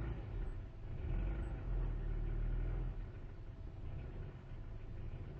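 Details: 1998 Jetta: low idle hunts up and down with uneven chuffs and dropped beats; misfire with unstable idle, engine cuts out at 5100 rpm and dies after load unless given throttle when cold.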